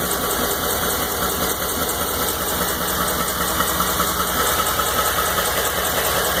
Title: 2012 f150 5.0 engine knock